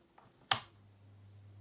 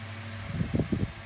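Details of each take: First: 2000s Tesco DF96 9-inch desk fan, bought new in box, switched on at low speed; click then motor spins up into steady building air rush with soft blade pulsing; normal low-speed running. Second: 2000s Tesco DF96 9-inch desk fan on low speed with oscillation: a steady hum with a brief cluster of about four dull clicks from the oscillation mechanism, though it oscillates fine.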